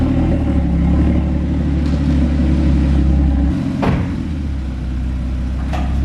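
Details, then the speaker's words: Rebuilt, previously crashed Porsche Cayman GT4 flat-six, warmed up a little, heard idling before a rev: a steady, even low drone with no knocks or rattles, settling slightly lower. Normal idle that sounds incredible. "it's warmed up a little bit now so let's go for a little rev that sounds absolutely incredible incredible"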